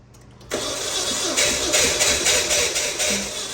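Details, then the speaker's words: 2014 Dodge Dart 2.4L MultiAir, first start after installing a used MultiAir brick (variable valve actuation assembly), with oil pressure still building in the brick: engine catches after cranking but runs with an uneven, stumbling pulse; rough running. "Well, it sounds a little rough."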